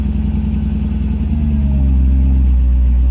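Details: Mercedes C55 AMG V8 starting after sitting almost 4 weeks with a recharged Odyssey battery: catches, pulses smoothing as it climbs to a steady, even fast idle with no misses; healthy warm-up.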